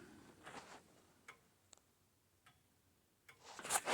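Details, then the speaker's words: Old grandfather clock during setup: faint unevenly spaced ticks with mismatched tick-tock intervals; clock out of beat. "so if it's tick tock tick tock tick tock then that's out of beat and it sounds like mine might be a little bit out of beat"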